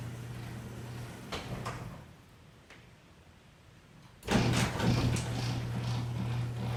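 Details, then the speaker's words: Garage door opener after white lithium grease on the track and on the rollers on both sides to stop metal-on-metal squeaking: after a few clicks the door drives with a smooth steady hum, no squeal or scraping. The fix worked. "All right, well that pretty much took care of it."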